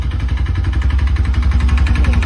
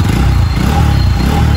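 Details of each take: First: Bajaj NS200 BS3 motorcycle started on the self-starter: loud, heavy knocking at about eleven blows a second over a rough idle, growing louder when revved, with no white smoke. Broken piston found. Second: Bajaj NS200 BS3 motorcycle after engine repair for piston trouble. Steady, even low thrum at idle with no knocking or rattle. The engine sounds healthy.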